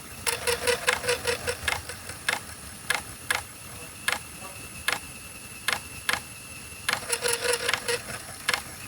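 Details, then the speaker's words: IBM PS/2 Model 30 floppy drive formatting sealed but moldy 720K floppies repeatedly: irregular scratchy ticking bursts, two or three a second, as heads seek and scrape mold off the media until the horrible noise stops. "the surface of the media is a bit moldy so I can kind of revive them by basically formatting them over and over again until the the heads stop making a horrible noise"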